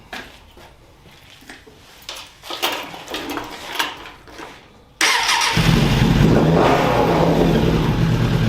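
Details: 2000 Suzuki Katana 750 after the clutch assembly was refitted, started with the kickstand down to test the neutral safety switch, fairings off. Fumbling and clicks, then it fires at once and settles into a steady, even run; healthy.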